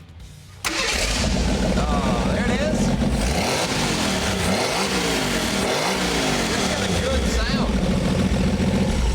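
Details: '78 Postal Jeep, first start after new wiring, cooling, carb fuel lines and pump, custom exhaust, fluids topped and fuel primed: brief crank, catches at once, strong steady rumble with no knocks or misses.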